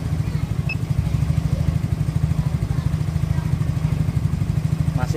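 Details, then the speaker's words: Yamaha Mio J scooter, still cold, after sensor-related part replacement (injector replaced earlier for hard starting, stumbling, stalling off throttle): low steady even idle, running normally, idle speed normal. "Kondisinya masih dingin terus berarti sedang menambah"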